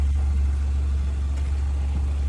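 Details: 2014 Chevrolet Malibu at auction: very low smooth steady hum, no knocks or misses; idles so quietly it barely seems running, healthy idle.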